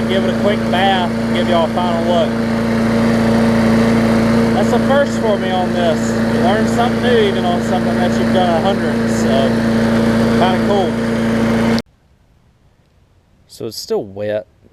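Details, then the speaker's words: 2014 Bolens push mower with Briggs OHV engine after fitting correct spark plug and replacing missing carburettor jet ball plug; steady even hum at constant speed, no surging or misses, then stops; normal healthy running. "so sounds good we'll let it run for maybe 10 minutes or so"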